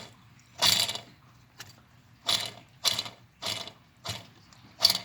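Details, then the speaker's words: Worn crank bearings removed from heated engine cases, spun by hand: short rough grinding bursts, stiff and barely turning; the same grinding heard earlier when kick-starting. Both crank bearings are shot. "That's what we was hearing when I was kicking it. The bearing was grinding, man."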